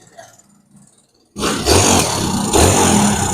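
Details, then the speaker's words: Motorcycle (BC/LL) cam chain rattle: engine bursts into loud, busy idle with metallic clatter; chain loosening because the tensioner is damaged, its balls worn, so it releases and backs off. "maingay ha na atras [Musika] [Musika] na yan mga idol may maingay sa tunog Ah lumuluwag yung kadina niya sira na yung teer nagre-release na"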